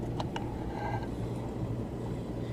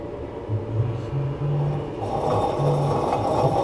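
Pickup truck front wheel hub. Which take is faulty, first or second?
second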